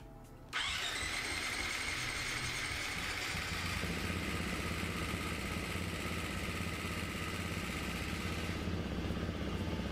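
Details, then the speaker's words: KTM 350 XCF-W dirt bike first start after rebuild and valve work: loose tinny rattle at startup from the cam chain tensioner not yet pumped up, fading as it expands. "rattle that was from the cam chain tensioner not being flyght and then press up expanded and you heard that sound go away"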